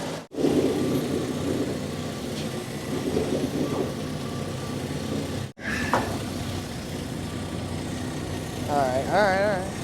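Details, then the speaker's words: 1969 Chevy C10 small-block, first run after sitting, charging 13.9 V, warming until thermostat opens: low, steady idle with an even beat and no knocks or misses; healthy normal idle. "That's one sweet running truck."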